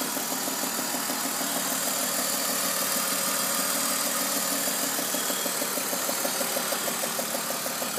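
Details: BMW E46 at idle, VANOS replaced, with plugs, tensioners and pulleys checked fine: a regular light, sharp, ticky knock about three per second that came on suddenly. Owner suspects an exhaust manifold leak; exhaust has sounded throatier with slight power loss.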